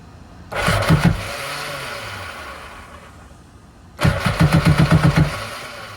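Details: Tigershark jet ski (PWC) sitting 15 years, first start attempt with a tiny bit of fuel dumped in: two cranking bursts about four pulses a second, each catching briefly then dying; engine still wet, won't keep running.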